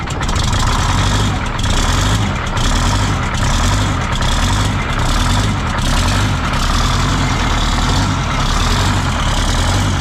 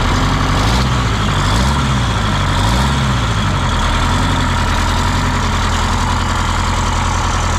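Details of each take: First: 1977 MCI coach with 8V71N Detroit Diesel two-stroke that ran away, three stuck injectors freed: heavy deep chugging with slow uneven pulse and air hiss as it cranks, rack set to run position. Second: 1977 MCI coach with 8V71N Detroit two-stroke diesel, just restarted after freeing three stuck injectors that caused a runaway: heavy, even low rumble holding steady at idle, no knocks or misses; good oil pressure, warming up; normal idle.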